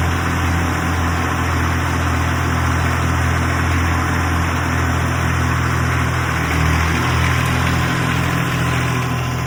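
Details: 1962 Fordson Super Dexta diesel tractor, revived after 25 years sitting, once air was bled and pumped from the fuel lines: steady, low, even diesel chug at idle with no misses or knocks; it runs smoothly and is healthy.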